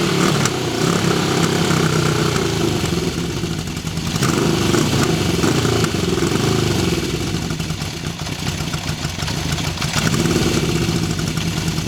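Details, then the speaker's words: 1974 Honda CB750 Four, cold start: uneven, lumpy running with revs wandering as it warms, typical of a cold-blooded engine. No ticking or knocking; it runs better once warmed up. Healthy, normal cold start. "It runs good. I'm going to fire it up here. This is a cold start."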